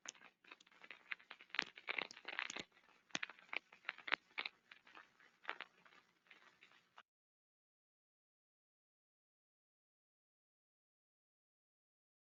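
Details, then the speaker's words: SDT ultrasound detector on an SKF bearing with a detected problem; irregular crackling and popping bursts, mechanical via the structure-borne sensor, bubblier via the airborne sensor, a rolling bearing defect. "two different types of sounds a structure board sounds uh more mechanically and you know Airborne sounds more bubbly but nevertheless you can detect the bearing with either sensor"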